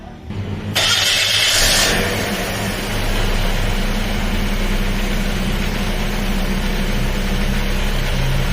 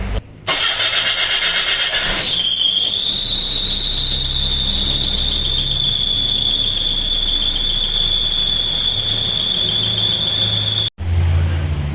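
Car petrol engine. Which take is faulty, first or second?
second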